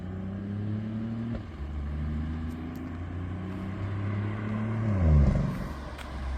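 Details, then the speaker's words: BMW i8 after exhaust repair (cracked/bad weld and burst flex bellows fixed): low even exhaust note rising briefly under throttle, much quieter, no drone, rattle or vibration; exhaust normal. "소리가 많이 작아지긴 했다잉. 근데 부밍이 없어."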